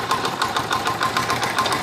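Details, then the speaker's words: Motorcycle engine being revved, sound heard from the cylinder head area; quick even metallic ticking rattle over engine note, rising with revs; timing chain noise, chain to be replaced. "तो फ्रेंड्स, अभी इसमें आपको शोर की आवाज़ आ रही होगी, यकीनन सिर की आवाज़ आ रही होगी आपको। ये जो साउंड आ रही है यहाँ पर, ये जो साउंड है ये बेसिकली टाइमिंग चेन की साउंड है।"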